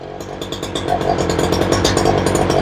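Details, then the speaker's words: Ryobi 3818 chainsaw that sat all summer and stalled at idle; after the fuel diaphragm work fuel now pumps, run with the lid off and choked: an uneven, stumbling two-stroke idle with pops and surges. The carburetor needs adjusting. "sounds like she needs a little bit of a tuneup he's not really idling"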